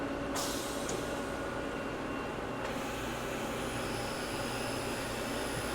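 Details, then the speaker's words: Used CNC mill spindle commanded by MDI M3 at 500 rpm, air supplied; spins up to an even, steady hum with a clean light whine, no knocking or grinding; two belts in the head switch high/low gear; spindle running properly. "sounds good so there's actually two belts inside of the top there and they'll switch between high and low gear"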